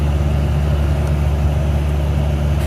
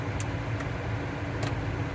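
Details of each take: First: 2013 Chevy Cruze cabin blower at speed: a constant heavy low drone like a jet engine or freight train. Restricted airflow from a cabin air filter plugged with a rodent nest; blower motor worn and replaced. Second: 2013 Chevy Cruze after clearing a rodent nest from the cabin air filter and replacing the blower motor: blower at full speed gives a steady, quiet whir with no roar, rattle or squeal. Normal blower.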